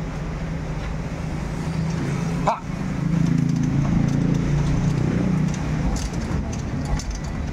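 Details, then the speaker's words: Kawasaki Barako 175 motorcycle after repair of transmission gears with two broken teeth and damaged clutch housing, fresh oil added; low steady drone rising briefly with a throttle blip, no gear whine or clatter, now quiet; normal running. "Wow, tahimik na. Ayan, tahimik na."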